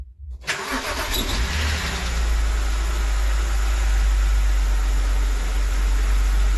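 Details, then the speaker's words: BMW 325i engine reassembled after a stiff, poorly lubricated camshaft let the VANOS cam rotate out of timing, Valvetronic refitted and set: fires at once into a deep, even idle, no ticking, knocking or misses; healthy start. "Teď ten motor je už složený, dal jsem tam Valvetronic, nastavil jsem to, nastartoval jsem to a funguje to. A má to hezký zvuk."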